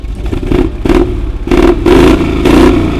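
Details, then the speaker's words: 1970 Dodge Challenger V8, first start after 15 years off the road: blips up in sharp bursts and settles back cleanly, crisp and even with no misfire; sounds healthy. "Oh yeah! Oh, that sounds good."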